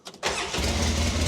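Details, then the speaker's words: Polaris Ranger 6x6 UTV after repair work: a quick crank, then it catches and settles into a steady low rumble with no exhaust ticking, sounding better even in the cab, though still noisy. "oh that sounds better already doesn't it even in the cab yeah I said that sounds better already"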